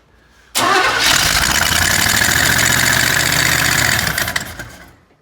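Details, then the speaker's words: Small block Chevy engine: starter cranks hard for about four seconds with an even churning beat but never catches, with no fuel reaching the engine. "We were having some fueling issues when it was in that Blazer, so it didn't fire up and run perfectly right off the bat, but eventually it did run really well."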